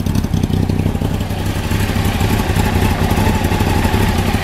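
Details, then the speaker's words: 1993 Honda CBR900RR, out of museum storage, aftermarket exhaust, jetting dyno-tuned after running slightly rich, idling after choke start: quick, even putter at about four beats a second with no misfire or stumble; healthy idle. "I personally had the bike after I bought it read I Nold and the jetting fine-tuned he actually had it just a little bit too rich and so it's running perfect now"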